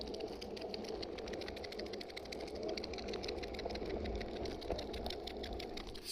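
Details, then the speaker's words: Exway Ripple electric skateboard rear hub motors: fast, regular light ticking that follows wheel speed, like something in bicycle spokes, even when pushed by hand; cause unknown. "sounds like something stuck in the spokes of a bicycle it does it even when I push so we'll see if that's a problem or not"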